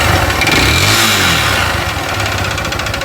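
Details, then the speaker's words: Honda Titan 150 / Fan 160 motorcycle with terrible engine noise, revved hard; rattly knock about four per second under exhaust; first suspected connecting rod, then mechanic says symptoms point to the cylinder kit — piston slap. "tá com sintoma é de kit cilindro hein kit cilindro is aí bem realmente pode ser"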